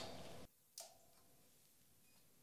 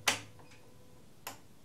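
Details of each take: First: SolarEdge PV inverter with battery and Backup Interface, still in backup mode with the grid off, restarted after an overload shutdown: two sharp relay clicks about two seconds apart in a quiet room as it switches back in, a normal restart. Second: SolarEdge PV inverter with battery backup during a simulated power outage: two sharp, dry relay clicks about a second apart in a quiet basement; the system keeps clicking but doesn't restart, possibly a built-in protection.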